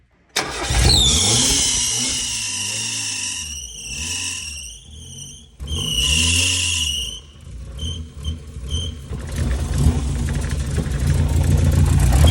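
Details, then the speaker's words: Mazda Miata on its first test run after an engine swap, MAP sensor plugged in: fires with a sharp squeal rising and falling with revs over a lumpy, uneven engine note. The water pump is fine; ignition timing is suspected off by 15–20 degrees. "Water pump is fine, so try. sounds like the timing's off by like 15, 20 degrees."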